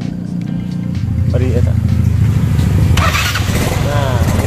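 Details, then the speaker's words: Yamaha Mio scooter hard to start as if the carburetor were flooded: engine catches immediately and settles to an even idle once the carburetor vacuum slide is lifted; hard starting caused by the vacuum slide not rising. "Jadi, masalah sulit menyala ini sebenarnya disebabkan karena vakum ini tidak meningkat. Kekosongan ini seharusnya meningkat."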